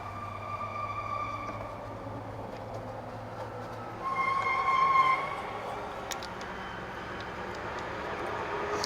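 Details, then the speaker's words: Passing cement truck braking: high, steady squeal rising over the truck's rumble for about a second; brake squeal, suspected worn shoes with metal rivets scraping, unconfirmed. "You know, you hear that guy's brake squealing, and it's a cement truck."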